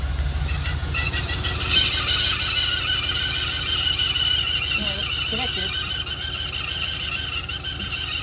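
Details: LS1 V8 in a Holden Adventra bought in 2022, badly degraded after six months' storage with about 10 minutes total running and power backing off near 3500 rpm: high steady squeal over the engine with a rhythmic knock about three times a second; internal fault, cause unknown.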